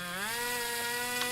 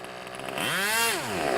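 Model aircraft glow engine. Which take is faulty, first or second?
first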